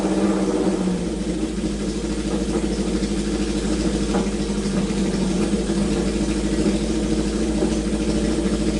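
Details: Neglected Honda CB750 inline-four first start after revival, on choke, oil slightly overfilled and leaking from overflow when revved: even, smooth idle with light throttle blips, no knocking or misfire; normal idle.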